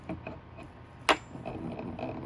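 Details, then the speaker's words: TorqueBoards direct-drive hub motor rocked by hand: light metallic clicks and a sharp clack as a loose metal truck collar and retainer ring chatter inside the motor. "so this noise here is typically typically going to be the inside of this motor because it's metal and because this collar is metal and because it's loose you kind of hear that sound or that chatter sound"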